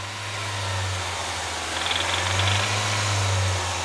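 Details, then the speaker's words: Engine heard from underneath while running: deep knock roughly twice a second, caused by excessive wear on the connecting rod bearings. "Pete wasn't wrong that knock came from excessive wear on connecting rod bearings something like this from above the engine all right and like this from underneath"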